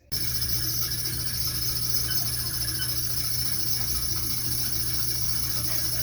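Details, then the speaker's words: Maytag Bravos XL commercial dryer running: a steady, loud high-pitched squeal over a low motor hum, a common fault on these dryers; the idler/tension pulley or guide roller is suspected, to be lubricated. "what we're going to be fixing here today is a universal problem with these types of dryers which is this big squealing sound right"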